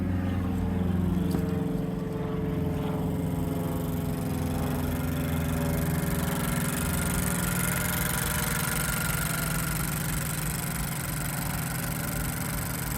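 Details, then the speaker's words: 2020 Honda Civic Sport Hatchback, CVT, 50k miles, idling: steady idle with light, quick sewing-machine ticking from high-pressure GDI injectors; normal, belts running fine. "and you can hear the GDI injectors making their little sewing machine noise high pressure"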